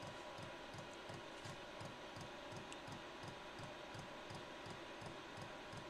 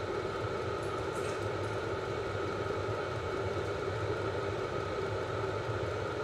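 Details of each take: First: Cheap Chinese diesel heater burning kerosene on Ryobi batteries after sitting 6 months: quiet steady pump ticking about 85 a minute over faint fan hum, no burner roar, slow to ignite; owner suspects kerosene puddled in burner from last hot shutdown. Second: Cheap Chinese diesel heater on two Ryobi batteries, in a garage: at full output and 88 °C, a steady even roar with constant hum, no surging or popping; burning cleanly.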